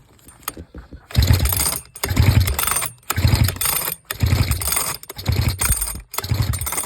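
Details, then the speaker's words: Sachs Dolmar 112 vintage chainsaw with a new electronic coil replacing the old condenser coil, pulled over after adding some oil: slow, soft pulls with a weak hollow chuff and no firing. Compression reads only 32, expected at least 60. Piston rings are being considered. "32 man that still was not I'm pretty sure it's supposed to be up like at least 60 so anyways that's where I'm at uh I don't know if it's worth putting a piston rings in it"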